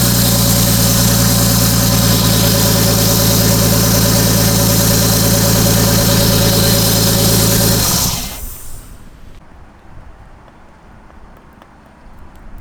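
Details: Restored R32 Skyline just started after being revived: smooth, even idle with a steady low beat for about eight seconds, then switched off and dies cleanly; a rattling "shara-shara" noise is noted after starting; normal idle.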